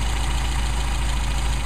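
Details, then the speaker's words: Mercedes 190SL with Solex carburettors, engine started cold: idle turns uneven and lumpy, stumbling and nearly dying as the idle mixture screw goes too far, before being set back to the midpoint; idle stumble from mixture setting. "run it back in where we had it do the same thing over here stumbled you can hear that stumble if i go any further it'll shut it down almost almost just died"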